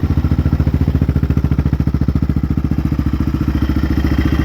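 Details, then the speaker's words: 2001 Yamaha Raptor 660R single, rebuilt with a big bore kit and cleaned carburetor, warmed up: even, steady thumping at a settled idle with no misses or stumbles and no smoke; normal idle, still needs a little tuning. "needs a little bit more tuning but it's Island Rail Mike's after warms up it idles like this"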